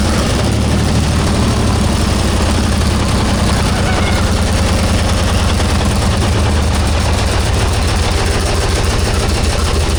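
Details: 1944 Cleveland 3-268A two-stroke diesel, first run after fuel filter housing rebuild and priming: loud, deep, rapid beat with steady, even firing and no misses; running cleanly.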